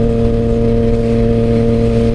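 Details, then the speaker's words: Motorcycle while riding with shorty levers fitted: steady high engine drone holding revs under load while the clutch slips, owner believes from the clutch lever cable adjusted too tight, partly pulling the clutch in. "I can hear you hear that slipping we're definitely gonna have to fix that I all that is I believe it's me adjusting the clutch lever too tight"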